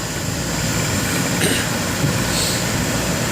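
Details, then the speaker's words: Air conditioning condenser, previously with a stalling fan motor: steady fan rush over an even hum, no rattle, squeal or surging; now running fine. "actually sounds good now nice there you go"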